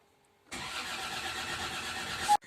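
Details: Land Rover Discovery II Td5 diesel: starter spins the engine steadily for about two seconds, then cuts out without catching. A crank, no-start; owner suspects a fuel pressure problem, not confirmed.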